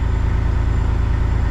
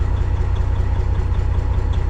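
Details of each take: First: Kenworth cabover diesel under restoration. Steady, even idle with a low, regular pulse and no misses or knocks; normal idle. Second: Kenworth cabover diesel running on its original ECM temporarily swapped in as a test; not charging, low voltage. Deep idle with uneven pulsing, two to three beats a second, stumbling irregularly; stutter unchanged, maybe slightly rougher.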